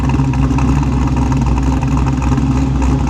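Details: Chevrolet Monte Carlo SS on its first drive after a new transmission install: deep, heavy V8 rumble with a choppy, uneven big-cam lope under the rev; the engine pulls clean with no knock, a normal aggressive cam sound.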